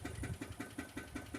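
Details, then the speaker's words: 2006 Dodge Magnum R/T, first run after years sitting and fuel pump work: steady idle with a rhythmic tapping pulse about five or six times a second; owner doesn't think it's a bearing, cause unidentified. "The car starts right up, runs great now. Problem is, I don't know if you can hear that. You hear that noise in there."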